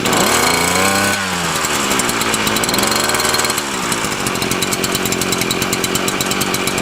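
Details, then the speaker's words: Titan TTBCP33 33cc split straight-shaft two-stroke brushcutter on alkylate fuel: high buzzy rev swinging up and down, then a steady fast crackle; pulls cleanly and runs healthy. "yep that sounds pretty good to me"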